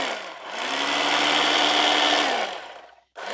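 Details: Salvaged electric knife from e-waste, tested after refitting a blade that fell off: high even electric whir spins up smoothly and cuts off cleanly, no rattle or clatter; motor running normally.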